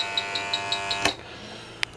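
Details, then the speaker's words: Home AC not cooling, indoor coil frozen and very dirty: leak detector gives rapid high-pitched beeping about five per second then cuts off; refrigerant leak detected at the coil, which needs replacing. "all right we're picking up one refrigerant leak right here"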